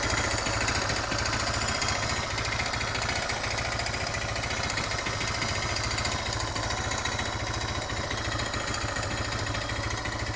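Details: Suzuki DR650 single-cylinder idling in neutral: fast, loose metallic clatter on every firing beat, present on acceleration, fading on deceleration, returning at low rpm; valve clearance and cam chain tensioner checked, knock source not found.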